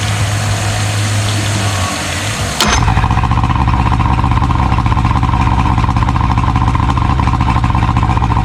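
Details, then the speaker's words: 70hp Johnson outboard on a Nitro 165 TL bass boat; the lower unit locked up from water freezing in it. After cleaning passages with a torch-tip cleaner and hooking up good fuel, the motor briefly stumbles, clicks, then settles into a steady, clean idle. "She sounds like she's running a whole lot better now than she uh than she was before."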